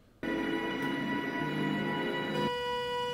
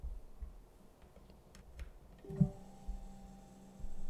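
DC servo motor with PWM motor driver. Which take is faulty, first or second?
first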